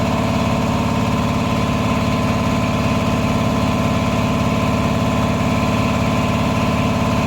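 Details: Repaired 400V V-twin air compressor, about ten years old and lightly used, formerly not making pressure: steady even chug at constant pitch, no knock or hiss, pressure rising from 120 to 140 psi; running healthy.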